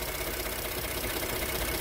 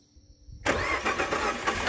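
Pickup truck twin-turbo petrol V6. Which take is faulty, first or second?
second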